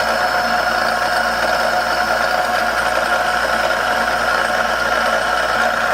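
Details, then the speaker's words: Cincinnati D1 Toolmaster mill during restoration, spindle running with loose variable-speed pulley: constant high-pitched whine with hissing rush, no rhythmic knock; worn bearing or bushing suspected. "see if the noise you get in here barry meant something good i'm like a bearing i don't think it's there's a bearing there it may be pushing a bushing"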